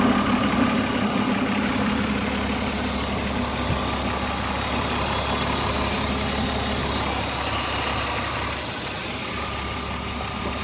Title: Bmw e36 323 ticking noise.